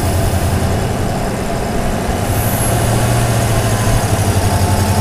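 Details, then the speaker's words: Toyota Tundra, mic hung in engine bay over airbox, at idle: thin high-pitched whistle that briefly rises sharply, intake whistle after switching from K&N to TRD air filter on aftermarket intake with Magnuson supercharger; owner likes it. "so we switched from K&N air filter to TRD air filter and we got that whistle and at this point it's welcome"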